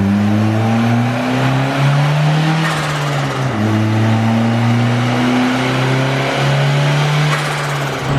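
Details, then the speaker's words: Turbocharged D-series Honda Civic on a dyno pull: engine at high load with a fluttering, wavering note repeating over the steady drone; turbo surging under boost. "the turbos like surging yeah I got that again"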